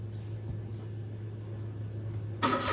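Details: Mitsubishi Mirage with a no-start problem: starter turns the engine over about two seconds with a steady low drone without catching, then a sudden noisy burst; cranks but won't fire.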